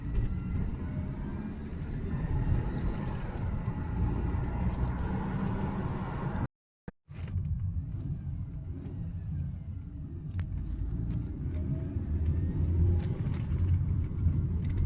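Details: 2003 Mercedes W209 CLK 200, M271 1.8 Kompressor, 6-speed manual: high-pitched electric-like whine rising with RPM; supercharger recently serviced, owner suspects alternator diodes or bearings, or a belt idler or tensioner pulley.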